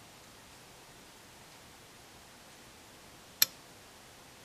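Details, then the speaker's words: A Schmitt trigger circuit fed a slowly rising test voltage drives a 12 V relay with a 280-ohm coil. After near silence, one sharp click comes as the relay pulls in at a precise voltage: normal, clean switching. "I lift it up very very slowly and you will hear a click on the certain moment"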